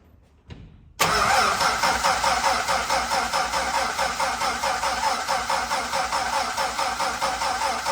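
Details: Dodge D5N truck with 245 Hemi six, first start after sitting 5 years, after a new terminal, new fuel line and fuel primed: catches at once and settles into a steady, even idle.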